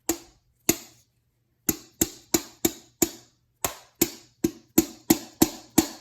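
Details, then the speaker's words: Alfa Romeo clutch disc removed over clutch vibration and spring noise, shaken by hand in a quiet room: sharp metallic clacks in quick bursts from a loose spring inside; disc shows uneven outer wear; exact source uncertain. "is that loose spring in there it looks good but except the uneven wear on the outside i don't know if anybody else has experienced this that spring in there shaking"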